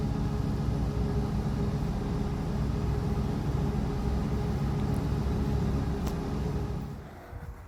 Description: We had two significant exhaust leaks under the car that made my 1982 Granada coupe sound awful bass-ey.